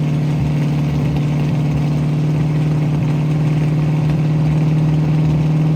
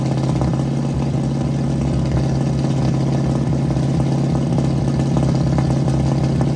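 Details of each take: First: 1967 Mustang V8 after new fuel sending unit, blown-out fuel lines and repaired carburetor needle and seats that weren't supplying fuel; steady even idle with smooth low rumble, no misses or surging. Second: 1967 Mustang warming up during timing adjustment, vacuum hose off distributor, air cleaner off; uneven lumpy idle with irregular exhaust pops, lean running from starved fuel supply by the carburetor.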